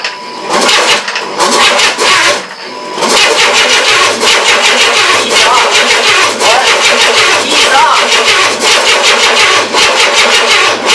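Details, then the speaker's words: 1994 Chevy S10 4.3L early Vortec, first crank after engine install, no radiator fitted: repeated harsh cranking bursts that never catch, then the starter keeps whirring on its own; no start, with the starter hanging. "oh my goodness we got something stuck try again"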